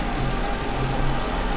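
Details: Jeep Wrangler idling with P0304 cylinder 4 misfire; coils and injector already swapped but the miss stays on cylinder 4. Dealer blamed the engine computer, yet oscilloscope shows injector pulses present. Low uneven, stumbling idle with a slight shake.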